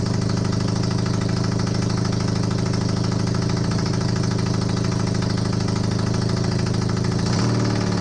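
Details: Honda CB250N Superdream twin project bike with new spark plugs, on partial choke, powered from another bike's battery. It settles into an even, steady idle with a low throb and no knocks, running cleanly. Normal idle; large front oil leak noted.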